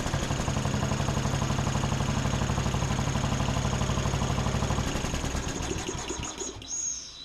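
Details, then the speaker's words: Steady, even single-cylinder chugging with no misses, then spin-down at shutoff, on a John Deere D110 riding mower after the spark plug was gapped to 0.030 in and tightened; running properly. "That sounds much better."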